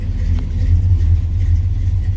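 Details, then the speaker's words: 1967 Chevy Nova SS clone V8 at inspection, starts right up; deep even idle burble, no misses, knocks or ticks, good oil pressure, no white or blue smoke, quiet motor; normal idle. "Got nice oil pressure. Everything looks pretty good. No smoke, white, blue, anything of that nature. All seems pretty good. The motor is nice and quiet."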